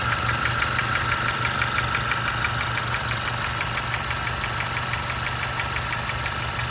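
Steady quick ticking about three per second over a smooth idle, a light regular knock from inside the engine.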